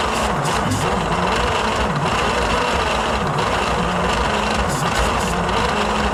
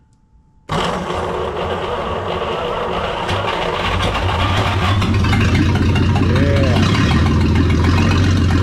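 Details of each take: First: 1938 Dodge D8 sedan engine, unstarted for roughly 30–40 years, cranked with starter fluid and a battery charger boost. Slow starter churn with an occasional lone pop; only one cylinder is firing and it won't start. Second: 1938 Dodge six, sitting 40 years, started on 6 volts after firing order and timing corrected: fires straight up and settles into a steady, even low rumble that gradually smooths out; healthy normal idle.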